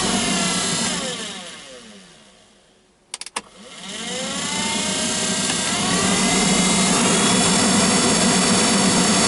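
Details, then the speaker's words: GAZ Gazelle heater blower motor: high whirring whine falls as it coasts down, then climbs loud on restart; buzzing traced to worn commutator under the brushes, commutator cleaning planned. "вы знаете вот шум идет как раз таки вот с этого коллектора по которым щетки ходят жужжит"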